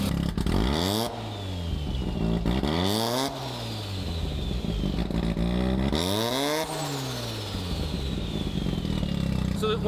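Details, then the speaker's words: Rotary Corvette, turbo rotary engine with no resonator: revs rise and fall with a fluttering chuff and falling whistle on each throttle lift-off; compressor surge because the untuned blow-off valve spring stays shut without load. "and so now you're hearing compressor surge as that turbo lets off if the air is coming back out through the turbo which makes me want to cry"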